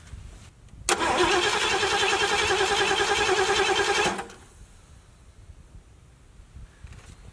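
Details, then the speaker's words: 1974 Ford Galaxie 500 that sat two decades: even rapid cranking, about three and a half turns a second for three seconds, never catching; no-start with no ignition spark, old points worn thin and dead, new points to be fitted. "this one it's worn you can see that it's pretty thin so I'm just wondering you know I couldn't even make it spark off of this I tried opening it and it wouldn't do anything"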